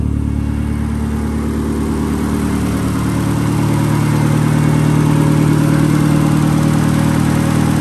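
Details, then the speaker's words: 1971 Datsun 510 with SR20DET engine swap, fully restored: started up, steady low burble with an even, slightly rising idle, no ticks or knocks; healthy normal idle. "Let's go ahead and fire it up real quick. Sounds the part."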